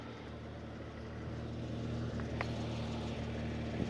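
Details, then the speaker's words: 1999 Jeep Wrangler Sahara 4.0 with 5-speed, after cracked exhaust manifold replacement, coolant about 150°, stock exhaust: soft, even idle with a steady drone and no leak ticking; much quieter and smoother, with perhaps a slight misfire. "that's like ludicrously quiet sings never sounded like that it's also running a lot smoother already"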